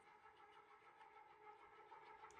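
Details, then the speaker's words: Restored gear-driven ceiling fan with a new Blender-modeled replacement gear, blades fitted, barely a breeze; loud constant mid-pitched gear whir, no knocks or grinding: normal but loud gear drive noise. "yeah, it's loud. What a bizarre item, but so cool at the same time."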